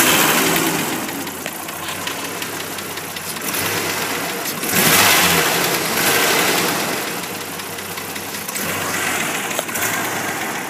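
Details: 1989 Jeep Comanche (MJ) with 4.0 engine acting up; uneven surges with loose irregular knocking as revs rise and fall, source not obvious, abnormal engine noise with cause unconfirmed.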